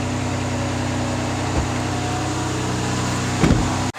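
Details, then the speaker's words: 2009 Ford Escape 3.0 V6 on first cold start after repair for cylinder 4 misfire and bank 2 lean codes (P0174, P0316): steady, even idle with no misfires. "it started up it sounds good i don't hear any misfires"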